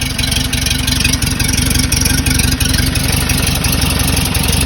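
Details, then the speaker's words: 1968 Porsche 912 air-cooled engine, freshly reinstalled, after a distributor adjustment. Lumpy idle with the beat wandering around a slow pulse while oil burns off: a rough idle. "so i adjusted the distributor a little bit and it definitely helped but everything sounds super good it sounds a little rough is running good"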